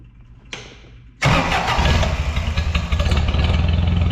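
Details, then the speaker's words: Scag lawnmower engine after cutting off muffler whose broken baffles likely restricted exhaust and caused rough idle and low power: starts after a second, settles to even steady idle with no misses; runs healthy after repair. "I think that dang exhaust was all my problem. She's purring like a little kitten, or the tiger that she is."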